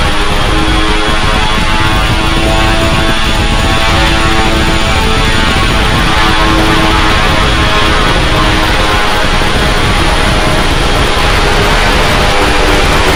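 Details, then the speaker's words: Heavy-lift drone, first flight test, batteries not fully charged: loud droning roar with several motor tones drifting and beating against each other. The rotors are not holding matched speeds; the owner suspects PID tuning, unconfirmed. "on top of the fact that the propellers aren't seeming to move in conjunction and that could be again the PID maybe"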